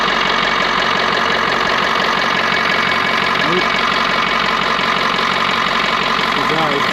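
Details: 6.7L Power Stroke diesel after fuel line replacement, restarted after fuel spilled out: steady idle with even, regular clatter at about three beats a second and no misses; engine runs normally.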